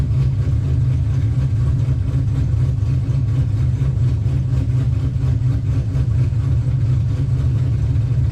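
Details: 2005 Pontiac GTO V8 at idle: smooth, even low rumble with no knocks, ticks or misses, so the engine runs healthy. The car slips above 4–5 mph, so the fault is in the rear differential.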